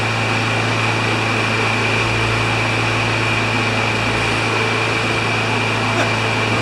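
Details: Craftsman mower with Kohler engine of about 6 hp, after cleaning the carburetor: constant, even drone at steady speed with no surging, sputter or knock; runs cleanly, though a filter is still needed.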